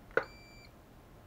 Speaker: we have a beep. So seems to be working.